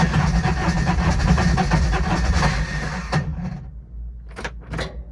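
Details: Older Intimidator diesel UTV in park with a touch of throttle, cold: cranks about three seconds at roughly three beats a second without catching; owner blames worn starter bendix and suspects faulty glow plugs; larger battery fitted.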